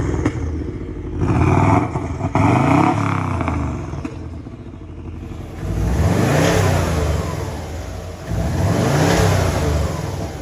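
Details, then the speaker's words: 2002 Subaru Legacy B4 twin-turbo automatic that sat outside for months, starting on a pretty flat battery, then revved. Uneven bursts, flaring and sagging with a ragged, lumpy note; rough running. Owners presume head gaskets failed, citing white exhaust smoke. "Good reason why this is the cheapest twin turbo B4, and that's because quite simply we presume the head gaskets are fucked, which if you saw in the last clip there was white smoke coming out of the exhaust pipe, and that's a symptom of it."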